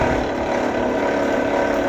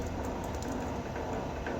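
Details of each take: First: Vevor wire stripper, motor whine with fast rattling chatter then a quieter gap: stripper blade set a little too tight; fix by moving to the next hole or adjusting spring tension. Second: Vevor electric wire stripper running: steady low even hum with faint gear whir, no knocks or grinding; quiet and healthy, quieter than a drill-powered stripper.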